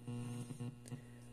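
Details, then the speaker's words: Zenith 6-S-229 antique vacuum tube radio on the bench. A deep, steady, mains-pitch buzzing hum comes from two or three long-dead electrolytic filter capacitors in the can. "capacitors in order to get rid of that hum that we were healing now of course the vehicle is still good and it's doing what it's supposed to do but this is not this is your filter capacity there's probably two maybe three capacitors in this can and they are long bad long dead"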